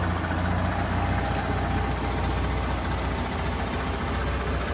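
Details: Honda BeAT FI scooter after repairing a broken wire in a connector that left the electrics totally dead; low steady idle rumble with an even beat and no knocks or misses, so it fires up and settles cleanly.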